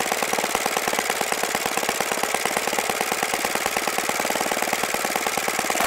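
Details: OS FS-95V four-stroke glow engine after rebuild with new bearings, hand-started warm, 15% Omega fuel, 14x6 prop, OS F plug: fast even crackle of firing pulses at steady speed, no misses; nice running, easy to start.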